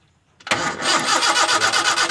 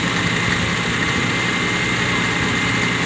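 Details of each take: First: Toyota Kijang no-start: a spark is now present at the coil lead after the coil and resistor were rewired. The starter churns steadily with even compression pulses, but the engine never catches; cranks but won't start, still under diagnosis. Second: Toyota Kijang carburetted petrol engine that would not start, running again after ignition fault found (burnt coil): catches and settles into steady, even idle, no misses or knocks; normal idle.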